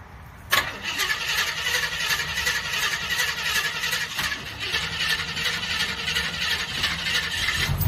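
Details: Jeep that won't start: steady whirring crank with a raspy, even churn runs on for several seconds and never catches. Engine spins but won't fire.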